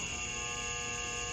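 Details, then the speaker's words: 2003 shop fan on low setting: steady electric hum with a thin buzzing edge, blades barely turning; motor energised but dry spindle nearly locked; seized fan motor spindle. "these fans tend to lock up and they have that humming problem where they just stay in place and don't spend it all and people don't really know how to get it fixed and short terms so just to prove to you this thing is kind of humming but kind of spinning but it's it's not healthy at all"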